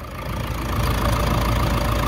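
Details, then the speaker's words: Toyota Hilux 3.0 diesel idling after engine rebuild, tank filled to test for leaks: deep, even idle with steady beat, no knocks or rattles; normal healthy idle. "vamos lá ver o tanque e olha olha o barulho do motor bacana"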